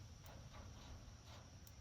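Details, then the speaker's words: Electric livestock netting on a small 0.6 joule charger (max 800 V), person touching fence in rubber-soled shoes: faint sharp ticks about once a second over a low outdoor rumble. Energizer pulsing normally, delivering shocks. "Hear that clicking? That's it's shocking me."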